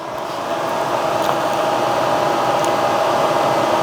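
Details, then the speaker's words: Fire-damaged Polaris ATV being revived, connectors reconnected with ignition on: even steady whoosh with constant motor hum, no rattle or wobble; radiator cooling fan running normally. "couple more connectors we forgot about the fan oh that's working the fan is running"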